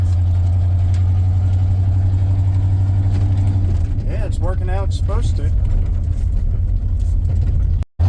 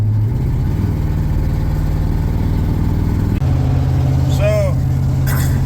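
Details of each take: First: 1994 Ford F-150 V8 after replacing a bad fuel injector; it previously shook in low gears despite new spark plugs. It now holds a steady, even low idle with a brief blip near the end, running much better: normal idle. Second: 1994 Ford F-150 with new spark plugs, shaking in low gears: uneven, chuffing low idle beat like a train with a missing pulse; cylinder dropping out, owner suspects a bad fuel injector.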